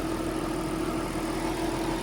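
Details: Nissan R33 Skyline GTST RB25DET after rebuild, idling cold after split fuel hoses were fixed with an Aeromotive pump and new lines: even, steady hum with no misses, knocks or hunting; owner later worried about oil pressure.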